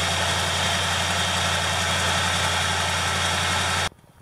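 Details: 1979 Chevrolet K20 Custom Deluxe square-body truck, after the alternator pulley squeal cleared up: steady even idle, smooth low hum, no squeal, then the engine is shut off near the end. Normal idle.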